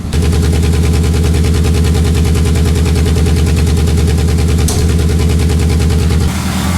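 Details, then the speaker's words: 2003 Pontiac Vibe GT before repair, muffler shaking: a loud, lumpy idle with an uneven chuffing beat and occasional pops. This is a cylinder 2 misfire. "you can hear that thing sounding completely different and you can occasionally hear it pop that's going to be a misfire so we got a cylinder 2 misfire that we got to hunt down figure out what's going on"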